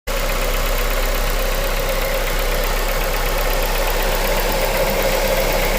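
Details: 2001 Honda Civic EM2 with swapped JDM K20A (PNA), Kpro basemap, 650cc injectors, ~7k miles since swap; idles with injector tick and a light fast knock about four beats a second, present since day one, louder when cold, cause unknown.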